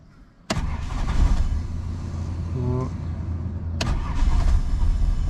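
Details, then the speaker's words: Holden L67 Calais started after four years unused: lumpy, stumbling misfire, seemingly running on about four cylinders; owner suspects blown head gasket, head gasket stop leak previously added. "it is misfiring really badly i think it's got a blown head gasket from what it sounds like um it sounds like it's only running on about four cylinders"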